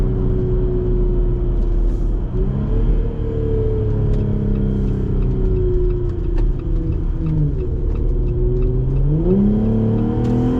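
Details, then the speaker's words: Jeep Gladiator JT 3.6L V6 with a new AWE Trail Edition exhaust, climbing a hill and downshifting: a deep steady drone that dips and climbs with each gear change, with a soft gurgle on shifts. Normal exhaust note. "so i love the way it sounds when it shifts it's got that verbal sound i don't know what else you call it"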